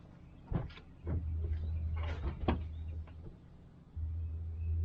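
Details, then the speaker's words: 2013 VW Tiguan 2.0T towed in as a no-start, cranked during a compression test: quick, even starter bursts with no compression chuff (50 psi once, then nothing). Timing marks were correct, but the intake cam was not being turned by the cam gear and actuator. "It built 50 pounds of pressure the first time, nothing after that. Let's go to the second cylinder. That doesn't sound, something's goofy going on here."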